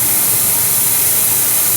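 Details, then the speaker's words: Empty A/C system pressurized with shop air, engine off; continuous sharp, steady hiss of air escaping, heard by ear low in the system; a large leak. "now just from with my own ears right here i can hear leaking somewhere down here now keep in mind we're looking for a large leak"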